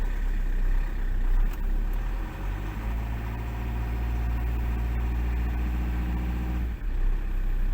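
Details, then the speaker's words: Fiat Doblo 1.9 JTD common-rail diesel that previously started only with a full battery or by rolling; low rail pressure suspected, high-pressure valve replaced and coded to control unit; now a steady even idle clatter; normal idle. "And you also have to enter it in the control unit so that it has the right amount again and now it runs like it did on the first day!"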